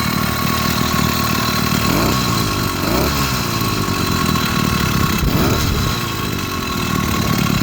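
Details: 80cc two-stroke motorized beach cruiser bicycle after fitting a performance carburetor replacing the stock one: putters along steadily with a couple of brief rev swells, no misses or rattles; runs clean and healthy.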